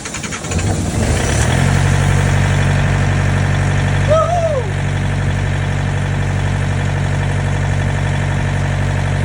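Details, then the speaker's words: Trailer reefer unit diesel after inspection late at night (only slightly dirty, cause unclear); catches after a second of cranking, holds even steady low idle without sputtering or dying; normal idle. "It is what it is. It's running right now. Hopefully it stays running throughout the night, and we're gonna go home."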